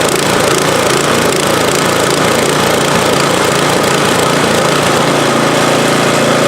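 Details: MTD-built snowblower after swapping in an engine from another junk machine (original had no compression), primed and pull-started, cover off: steady, even run with busy mechanical clatter, no misses or surging; running good.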